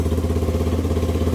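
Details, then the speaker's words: 1985 Yamaha YTM225DR Tri-Moto single-cylinder revived after 30 years, restarted with throttle: quick, even, steady beat with no misses or knocks; normal running. "There we go. Fuck, she sounds mean."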